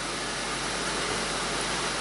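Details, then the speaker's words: 2001 Audi A4 Quattro 2.8 L V6, cold start while warming up: loud steady hiss-like whoosh with no rhythm; secondary air injection pump running normally. "now remember this car has the secondary air injection system you can hear the pump running"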